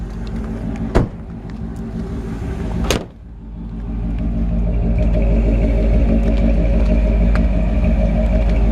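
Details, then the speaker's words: 1958 Chevrolet Biscayne V8, restored about 15–18 years ago and mechanically maintained: couple of clunks then deep even burble into smooth steady idle; runs great. "you hear the engine runs great i'm gonna shut it off and then we'll talk about the car a little bit more"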